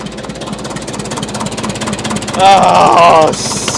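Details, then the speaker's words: 1941 IH TD-14 dozer sat 25 years, gas starting engine after choke, compression off, throttle down: quick even putt-putt at steady idle with oil pressure, a shout over it; running normally, charging belt still broken. "Are we running? We got oil pressure. That's the gas side. Woo."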